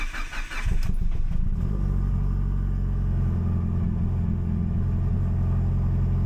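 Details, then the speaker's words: Mitsubishi Evo cold start after the head was O-ringed and reinstalled, oil removed and lifters bled: brief crank, then it catches at once and settles into a steady, even idle with no misses or knocks; normal cold start. "Like that, we're alive, baby. Let everything load up."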